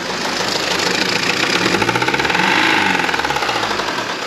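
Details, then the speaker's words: 2011 Range Rover Evoque 2.2 diesel with failed engine, revved with camera over the engine: rough, uneven loud clattering knock rising with revs; engine knock, cause not yet known. "right well you can probably hear it doesn't sound the best let me just give it a bit of a REV and I'll put my camera over the engine for"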